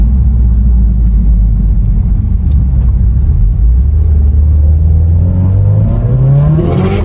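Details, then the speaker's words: Subaru STI with Perrin short ram intake, Blouch 2.5 XTR turbo, Tial 38mm external wastegate, on base map, light tip-in on sandy road: engine climbs smoothly, loud intake rush, faint wastegate hiss opening; runs clean and healthy. "Definitely gives it more intake noise. You can hear that wastegate starting to open up."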